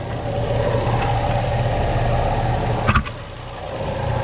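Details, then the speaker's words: Nissan Xterra idling with A/C on max but blowing only hot air: thin steady high-pitched screech with a burning clutch smell from a completely failed A/C compressor clutch, later replaced along with the serpentine belt; AC compressor clutch screech. "screeching sound and the smell of you know, burning clutch was pretty evident."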